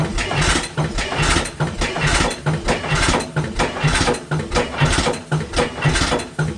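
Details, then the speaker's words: 1912 12 HP Goold Shapley Muir hit-miss gas engine, first run in about six years: heavy even thumps about two per second with no coasting gaps, firing every cycle. Running rich; owner suspects more fuel was given, or it's just cold. "I wonder if he's opened this up and gave it a little bit more fuel cuz remember before it used to hit once and then coast now it's hitting more and more."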